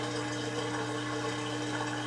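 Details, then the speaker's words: Kenmore (LG) 5-year-old 796.41392.511 front-load washer, draining a tub filled above its HE level using every valve: steady even pump hum over rushing water, no rattles or straining; normal drain pump operation. "just going to wait for this to finish [Music] draining now it's taking a while because remember I used every single valve to fill this machine up to like above its high efficiency level"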